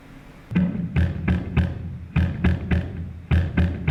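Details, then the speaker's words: Guitar through 35 W Watson Electric OctalPus amp into a P15Q speaker, camera mic only: chords turn muddy and flapping with fuzzy rattle under each strum after the speaker blew, its wattage rating lower than the amp's. "that's the sound of a blown speaker ladies and gentlemen [Music] looks like I just blew a p15 cube"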